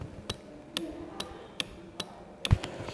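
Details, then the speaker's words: Relay bench test, switch pressed to energize the coil: crisp single clicks roughly every half second from inside the relay as the coil is switched; contacts pull in cleanly, normal operation. "should sound like some clicking is coming from inside the relay"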